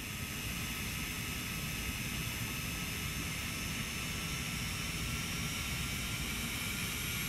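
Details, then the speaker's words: Polygon mirror DC motor from HP laser printer, M63151FP controller, 24 volts, speed set by function generator duty cycle: steady high whine over even hiss, no wobble or rattle; normal running at the generator's maximum speed. "this the fast I can do with this function generator"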